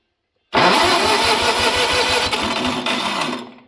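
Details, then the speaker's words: Old Wisconsin engine, starter jumped directly from a jump pack, spark plugs not yet connected: brisk even cranking about eight compression pulses a second for three seconds, no drag or slowing; healthy starter. "that's what an old Wisconsin should sound like"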